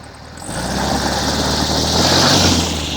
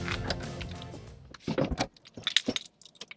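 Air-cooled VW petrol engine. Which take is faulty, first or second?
first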